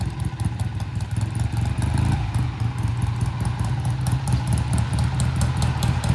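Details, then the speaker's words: 1967 Triumph twin riding past after sitting a while: ragged, uneven low-rev popping with missed beats, fine above 3,000 rpm; low-speed misfire from blocked pilot jet. "Yeah, you heard it, too. I just didn't trust it. Just get it up above 3,000 and she's fine."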